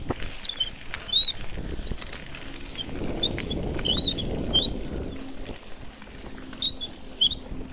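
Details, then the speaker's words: Mountain bike ridden 5 to 6 times a week by a 4-month novice: high chirpy squeaks repeat in short bursts over the riding rumble; the cause is unknown. "My bike started making this weird noise. Anyone help?"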